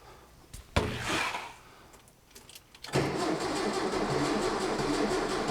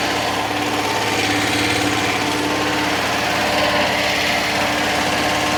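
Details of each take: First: 1966 VW Fastback engine, first start after reinstall, car off road since 1979, battery connected: short uneven labouring cranking bursts around three turns a second, no firing; starter struggling, owner wonders about fuel draw and voltage. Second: 1966 VW Fastback flat-four, freshly installed engine, first start after correcting firing order 180° out, running on six volts: fires and settles into a steady, smooth idle, no knocks or misfires; normal idle, smoking off marvel oil.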